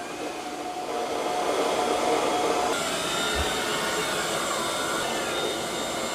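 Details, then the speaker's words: Eufy robot vacuum-mop on turbo suction during a mopping/vacuuming pass: steady, even high rushing whoosh with no rattles or pitch wobble; normal turbo suction. "Here's what turbo sounds like."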